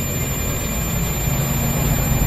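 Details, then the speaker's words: Home theatre amplifier 2030 IC kit with 30V supply drop: steady unbroken continuity beep across the IC supply plus and minus pins even with the IC supplies removed one by one, while all four rectifiers test OK, showing a short circuit. "तो यह जो हमारा बप की आवाज आएगी तो इसका मतलब है इसका जो माइनस और प्लस है यह दोनों हमारा शॉर्ट है"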